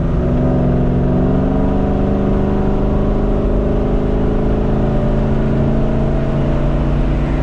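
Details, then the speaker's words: 1972 Chevelle Malibu 383 small-block V8 after installing Doug's 1 5/8 x 3" headers and Flowmaster 2.5" H-pipe exhaust, driving: deep steady rumble rising in pitch under acceleration, smooth even note, no misses; a leak still present. "yeah I think it sounds good gives a bit of a kick now"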